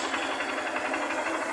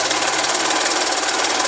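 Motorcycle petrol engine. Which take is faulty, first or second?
second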